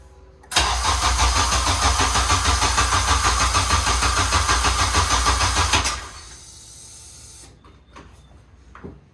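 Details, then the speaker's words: JDM Honda K24A, first start after the block sat for a long time, following a fix for a grounded MAP-sensor power wire that had put the ECU in protect mode: it catches at once and holds a quick, even, healthy idle. "Yeah, it definitely sounds healthy."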